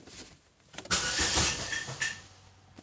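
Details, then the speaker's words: Chevrolet Malibu with P0016/P0017 codes, valve and timing covers off, starter blipped: loose rattling slap on each turn over from a timing chain with play, slapping its guides. "that even sounds bad you could hear the chain slapping it's it's more noticeable now that the timing covers off"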